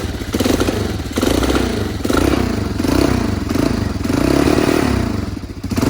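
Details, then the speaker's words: 1984 Honda XL200R single-cylinder dirt bike, sat about two weeks, started on choke, needed chain and new fuel: steady thumping, revs rising and falling gently, even firing with no misses or clatter; runs well. "yeah you can hear it run runs pretty good"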